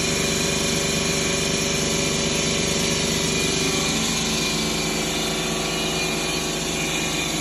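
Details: 2011 Ford Escape 2.5L with P0300 and misfires on cylinders 1 and 2: steady, fairly even idle with faint uneven stumble underneath; broken valves found on cylinder 2 causing the misfire.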